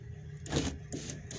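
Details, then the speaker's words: Ford Flareside truck parked about four years, power window test: short whirring runs as the glass goes down and up, each starting and stopping cleanly without grinding; the window works normally, but the switch button needs replacing. "ahí están las luces gemelas del vidrio así baja y así sube"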